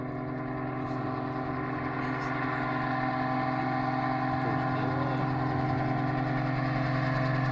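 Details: Autogyro engine in flight on its first flight after replacing the fuel injection and ignition control system, engine previously rebuilt after failing to pull: steady droning even pitch as it passes, running smooth and healthy.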